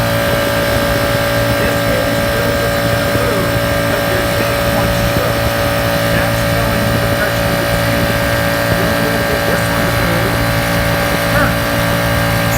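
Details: Air compressor on a pawn-shop purchase check, running steadily while refilling after air was bled off through the relief valve to test the mercury (pressure) switch: even mid-pitch motor drone and low hum, no knocks or stumbles; normal running.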